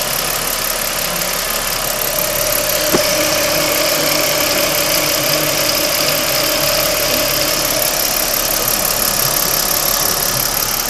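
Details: 2009 Ford Falcon FG XT at steady idle: fast light tick, roughly four per second, over the engine hum, heard to the right of the engine where the camera points; ticking noise, source not pinned down.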